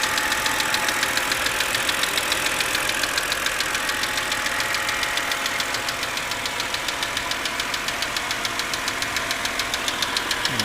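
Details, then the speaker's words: 2006 BMW 330i at idle: sharp, regular tapping about twice a second over a steady idle, loudest on the driver's side toward the front but clear on the other side too; intermittent, always at start-up, sometimes lasting whole trips; engine ticking, cause unknown. "okay this is the uh intermittent engine noise that i'm hearing and uh as you can tell it's uh pretty prominent right now"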